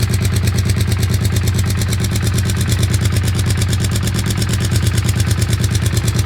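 Steady idle with a sharp, even clatter ticking about three times a second over the low drone; the cause can't be pinned from sound alone.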